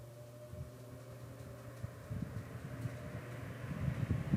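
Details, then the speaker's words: 1950s Canadian Robbins & Myers 12-inch oscillating fan, as found before restoration, first test run on high of two speeds: even low motor hum with smooth air rush, no shake or wobble, though not very fast for high; runs normally. "it's a good running fan though let's see if it shakes no that's smooth spins like a top"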